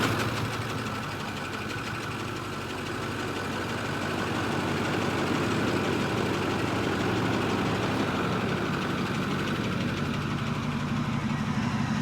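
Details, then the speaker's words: Truck that will tow a rebuilt trailer on a 2-hour haul, idle just after it starts right up: rough idle with a dull, uneven knock about three per second over the engine drone. The knock is intermittent and only sometimes present; cause unclear. "It's an intermittent knock. not an always knock. It's a only sometimes knock. Which is weird."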